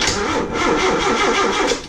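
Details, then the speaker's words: 1983 Ford Mustang that would not crank, starter jumped directly with a cable from the car battery; strong, even cranking for about two seconds, starter spins the engine freely, so the starter is not the fault. Normal starter cranking. "So as you can see, I just put the cable on this, the starter's turning. So now I know it's not a starter issue, because basically I'm going straight to the cable, which is turning the car."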